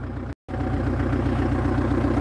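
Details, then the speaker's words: Kia Sedona diesel, first start after a cam belt change, with the intercooler removed: even, regular diesel clatter at a steady idle with no missed beats or knocks, with some smoke; running cleanly. "But yeah, it's running. And it actually sounds alright."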